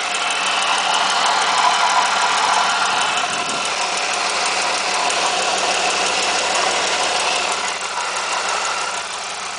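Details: 1997 Pontiac Firebird 3.8L V6 idling, recorded with the camera lowered into the engine bay: a quick, steady tick at about three per second over the engine. Cause unknown.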